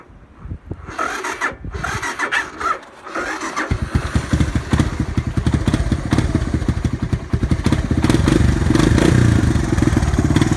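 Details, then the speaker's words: 1985 Honda ATC 250 cold start: sluggish, uneven cranking before it catches and settles into a lumpy cold idle; weak battery. "See, cold. That battery's a little weak on this one."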